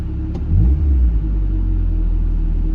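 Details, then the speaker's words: Mazda Miata after adjusting idle to about 850 rpm; turning on AC makes idle swell up rather than drag down, then settle smooth and even; normal idle-up handling AC load. "instead of being dragged down it actually idles up which is pretty dang cool so now I'm pretty sure it can handle the extra load"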